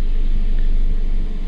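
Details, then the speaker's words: 2012 Toyota Yaris (Latin American version), engine warmed up: deep low idle sags and dips, revs well below normal and hunting; oxygen sensor stuck reading rich, fuel trim cutting fuel, power loss near idle, no check engine light. "ya el vehículo está empezando a fallar como pueden ver las revoluciones que están bastante bajas para lo normal de este vehículo y ya está empezando a cabecear lo que llamamos con un mínimo muy bajo el motor"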